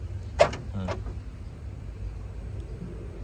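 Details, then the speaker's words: 2003 Isuzu Panther Touring Turbo manual: two quick whirring clunks half a second apart as door locks snap over via the remote; remote central locking working normally. "Ini ada remote-nya juga ya. Remote-nya juga masih berfungsi ya."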